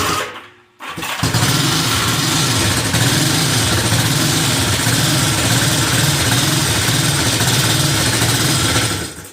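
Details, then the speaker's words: Vintage Honda CB360 twin, parked for months and previously running poorly with top-end noise: uneven, lumpy idle of about four pulses a second, left pipe cold and right pipe warm, so it is firing on one cylinder; engine misfire. "when you're running it sounds like it's only on one calendar"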